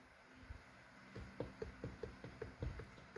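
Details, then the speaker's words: 4L65/4L70 transmission rebuild for a Suburban, shims removed, shaft rocked by hand: light, evenly spaced clicks about five a second; only small shaft end play, within limits. "That's not that much play. I mean, if I really thought it was, you can have like zero lash."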